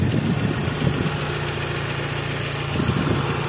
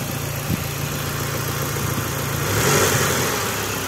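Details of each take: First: Lancer 9 with 4G63 turbo, hot idle only: light steady tapping over the engine hum; timing belt hydraulic tensioner knocking, confirmed as noise vanished when tensioner was held with a special tool, not injectors, pistons or lifters. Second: Mitsubishi Lancer 9 with 4G63 turbo, hot engine, knock appears only when hot and vanishes when the hydraulic tensioner is held with a special tool: steady, even idle with no knock; tensioner failed, to be replaced.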